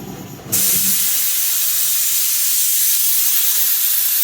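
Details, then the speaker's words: Air compressor with an air dryer, seen during a generator carburetor repair: a sudden loud, steady hiss of air as the dryer blows accumulated water out of its bottom. Normal air dryer purge. "So that sound of the air compressor is blowing all the water out of the bottom of it, right? Yeah. It's got an air dryer on it."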